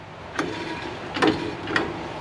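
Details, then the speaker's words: Hand-spun drum on a 1960 Buick LeSabre gives a faint brushing scrape about once per turn. This is light shoe contact, not drag; the shoe will self-center, so it is normal. "not even drag just a little bit of contact that's perfect cuz really the shoe isn't truly centered in there right now that'll Center itself and we'll be good to go"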